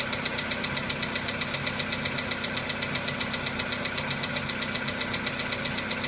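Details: VW Polo Sedan cold start: sharp light ticks at almost four per second over cold idle; knock of unknown origin that disappears as the engine warms up.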